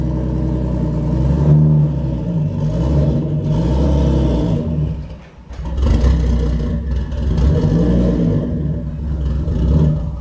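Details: Newly bought cheap Nissan R33 Skyline GTS-t being driven on the road, gearbox also noted as sounding horrible. Uneven, lumpy engine note with revs surging and dipping instead of pulling cleanly; running rough, cause unknown.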